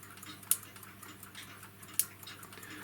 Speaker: now i'm just gonna it should just nice reassuring click one